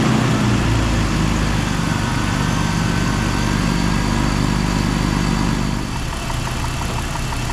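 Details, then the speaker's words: BMW E46 running roughly after repair work: an uneven, lumpy beat of three to four pulses a second that settles a little. The MAF sensor and seals were ruled out; the owner suspects a vacuum leak or the engine dumping fuel. "this is the problem I drive like it's just vacuum leak or it dumps fuel or something so that didn't fix the problem"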